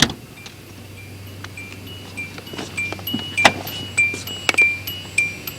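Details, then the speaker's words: 1986 Hyundai Excel with the door open: a bright ding repeats about every half second from a real mechanical bell in the dash, not a speaker. Normal door-ajar warning chime. "yeah the only difference is in your modern hyundai that's a little speaker making that sound in this car yeah that's just a real bell there's a bell in the dash of this car"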